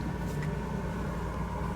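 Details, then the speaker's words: 1965 Corvair (flood car) heater blower after replacement with new PM102 motor: smooth even rush of air and soft low motor drone, no squeal or rattle; nice and quiet, more airflow than before; normal operation. "Let's go try out the new blower motor. Okay, moment of truth. Nice and quiet."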